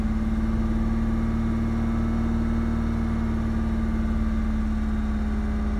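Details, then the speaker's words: 2004 Ford Mustang 3.8L V6 automatic at idle, warming for a minute or two: uneven loping idle with soft exhaust pops that shake the car; scanner showed fuel pressure over 60 psi. Fixed by replacing a faulty-from-new SMP T-Series ignition coil pack. "popping noise. Can't seem to figure it out. Now it's starting to do it a lot more. And every time it pops, the car shakes."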